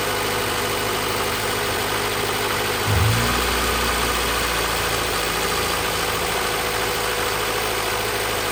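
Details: 2000 Honda Civic Si (EM1) B16A four-cylinder, after head gasket, LMA, valve stem, upgraded spring and titanium retainer rebuild: over steady hiss it fires first try, flares briefly, then settles to a smooth, even idle; normal.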